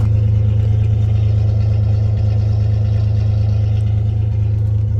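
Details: 1996 Chevy S10 4.3 V6 with Holley Sniper EFI and TSP distributor swap, third start. Deep, steady, even idle hum with no misses or knocks; smooth and healthy.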